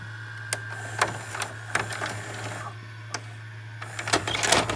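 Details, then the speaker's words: Sylvania DV220SL8 DVD/VCR combo after repair of a faulty mode switch and buttons: a low motor hum and a string of sharp clicks as the tape ejects cleanly. Eject works normally. "and there you go it works nice and good"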